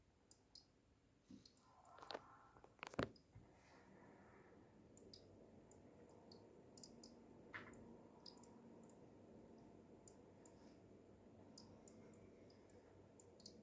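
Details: SeaSonic SS-620GB 620W PSU under heavy load running Half-Life 2 RTX: faint sharp irregular clicks over quiet room hush; not the fan (recently swapped to Arctic P12), no visible internal damage, cause unknown.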